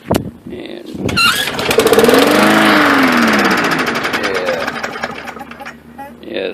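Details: Briggs & Stratton lawn mower that won't start: catches after several primer squirts, revs about three seconds, then sags and dies, running only on primer fuel.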